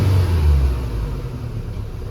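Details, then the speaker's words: Ford Fiesta 1.6 with codes P0301 and P0303, heard at the exhaust: a deep, uneven, helicopter-like rumble that won't accelerate well, misfire from a failed ignition coil output terminal. "in the exhaust here you can hear this this test you can even do it with a little leaf that you have on hand and it is the aforementioned misfire you just put your hand and it sounds like a helicopter"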